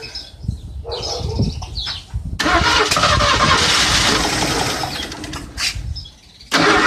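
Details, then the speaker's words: Ford Granada that sat almost 20 years, cranked after fuel filter work: long cranking, then brief stumbling catches that die out; not getting fuel from the tank, which smelled of varnish; fuel starvation, temporary fuel system planned. "I'm just I'm not getting the gas out of the tank I smelled the tank it smelled like varnish"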